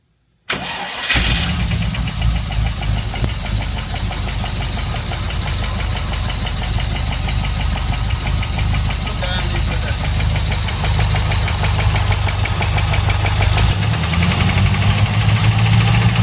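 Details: Rover car engine starting and settling into a rough idle with a steady, regular knocking running through it.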